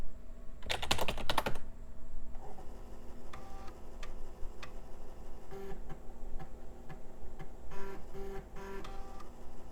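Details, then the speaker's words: Packard Bell Legend 5¼-inch floppy drive: burst of rapid chattering clicks, scattered stepping ticks and soft whirring while seeking; rough-sounding but reads and writes fine. "Let's try the big boy. Sounds like crap, but it is working. Yep, doing just fine."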